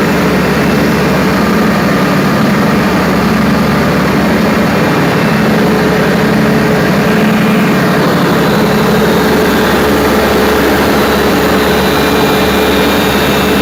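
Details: Perkins 4012 diesel after general overhaul, pre-lubricated before start, during load testing; runs steady and even under load, low drone with no knocks or misses, sounds healthy.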